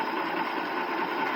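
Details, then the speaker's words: Ford 300 inline-six truck on its first start in years, running on three- to four-year-old fuel: a steady, even idle with no misses or knocks. "um yeah she just pours like a kitten that's got some real old fuel in her too"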